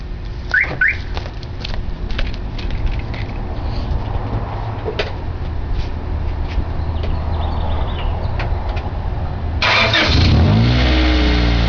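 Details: Honda Prelude revving with a loud, raspy, blatty exhaust note: suspected exhaust leak, later confirmed when the muffler rusted completely apart.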